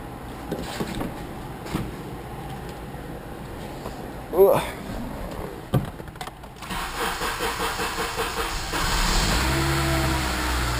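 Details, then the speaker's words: Engine with new muffler, running with airbox off: after handling noise it fires and holds a steady, slightly rough idle with open intake hiss; owner expects it won't run well without the airbox. "i got the air box off so you know it's probably not going to run too well"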